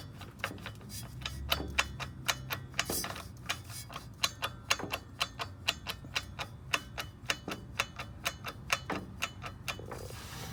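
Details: High-mileage Volvo XC90: sharp, light clicks about twice a second while accelerating straight and in turns, gone when coasting or idling. Owner suspects a failed driveshaft CV joint.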